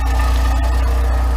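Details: Volkswagen Voyage, EA111 engine, 2011, at idle: steady idle with constant low drone and faint rough whirring from the belt end; noise traced to the water pump bearing (alternator or tensioner bearing also suspected initially); engine also found out of timing.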